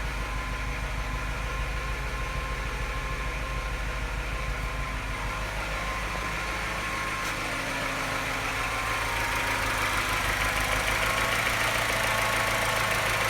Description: What’s it doing at this point, and why does it only start tapping louder and missing at this point?